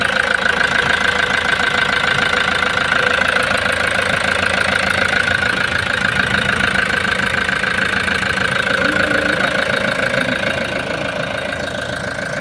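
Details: Toyota Hiace diesel van that arrived not starting, previously had its suction valve replaced elsewhere; after refitting the pressure pump it runs at an even, steady diesel idle with no misses, knocks or hunting — normal idle.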